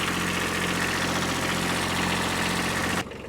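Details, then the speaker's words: Kubota B7100 diesel tractor with new cheap group 51R battery, starting fine after several freezing days, charging system tested at 14.1V; steady, even idle with smooth unchanging beat, no knocks or whine: normal idle. "It's firing up just fine now. After several freezing days, the battery's still holding its charge just fine."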